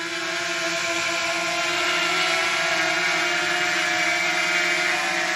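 Steady high-pitched buzzing whir from all rotors, even and smooth as it hovers and moves, with no rattle or wobble; it runs normally.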